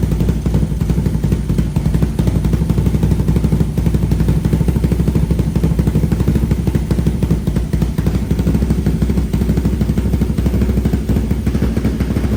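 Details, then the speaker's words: 500cc mini bike after retightening a vibrated-loose exhaust baffle on new stainless exhaust with high-flow muffler, carb partly tuned: steady even low putter at fast idle, no rattle. Normal running. "it's actually fired up again see how it sounds new [Music] ble sounds way better"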